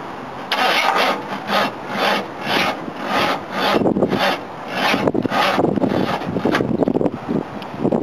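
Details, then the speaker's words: 1988 Ford F-150 that won't restart after 20–30 miles of driving until the cables cool, battery said charged but apparently weak: slow, labouring crank dragging before it catches; slow cranking, cause uncertain. "Entonces ya prende batería es más caliente pero como que la batería es"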